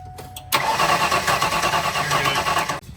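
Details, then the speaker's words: Mustang V8 after plug wires reseated, plugs flooded: starter spins the engine about two seconds with no firing, then silence; crank no-start, owner suspects no spark, tracing to the coil. "as you can tell, we've been flooding these spark plugs, which means that they are just absolutely coated with fuel, which means that we're not getting spark to, you know, to igniting. That's exactly what that sound was."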